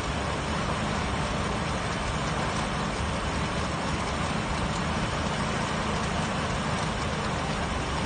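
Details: 1966 Ford Mustang running after 12 years of not starting: even, steady engine run with no knocks, misses or surges; smooth and healthy normal running.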